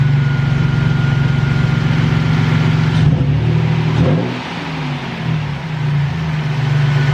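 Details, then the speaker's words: Toyota Tacoma after idler pulley replacement and belt retensioning: the engine idles evenly, takes a throttle blip and settles smoothly with no ticking or knocking left; normal idle. "nice nice sounding good so far yep this thing is definitely running spider now"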